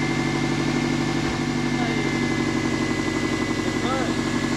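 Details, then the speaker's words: 1999 Subaru, first start of a freshly rebuilt and installed engine, run briefly without coolant and burning off assembly lube: a steady, even idle with no knocks or misses, much smoother than before. "No, it sounds good, I think. Definitely a lot smoother than it was before."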